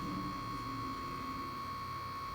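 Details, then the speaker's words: BioLite CampStove 2, about a week old, fan running with the stove standing still: steady whirring hum with a thin constant high tone; owner suspects the fan is oscillating or vibrating inside. "there's like an oscillation and the fan that it's you know somehow it's vibrating"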